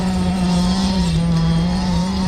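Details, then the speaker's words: Losi DBXL 1/5 scale RC truck with Zenoah 32cc two-stroke engine, first run after 2 years unused, driving through thick mud on heavy mud tires; steady buzz that sags slightly under load, needs tuning: engine bogging. "Oh, you can hear the engine bogging just a bit. That's okay. Still have to kind of tune it up a little bit."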